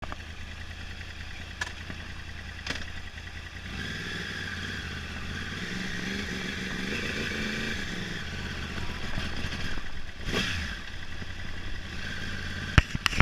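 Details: 2011 Yamaha R1 idle lumpy and uneven, beat stumbling irregularly and surging as throttle opens, consistent with a misfiring cylinder.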